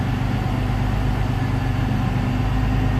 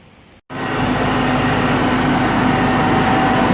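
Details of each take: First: Jeep Cherokee XJ 4.0 with four-hole injector upgrade, after idle air control valve change, at operating temperature: steady even low idle rumble with no misses, stumbles or surging; normal idle (a high idle was later traced to a vacuum leak). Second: 2001 Jeep Cherokee XJ Sport 4.0 inline-six, 234,000 miles, after replacing the idle air control valve: starts and holds a fast steady idle near 1,000 rpm that never drops; high idle from a vacuum leak still being tracked down.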